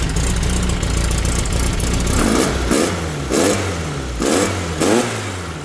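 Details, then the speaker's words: VW Baja Bug with an air-cooled 1776 engine, running again after a carb fix in which mislabeled, undersized jets were found. Idle picks up into four or five crisp throttle blips, each revving and dropping back smoothly. Normal throttle response. "As you can hear, the Baja bug is running yet again after sorting out some carb issues that I'll talk about in a minute."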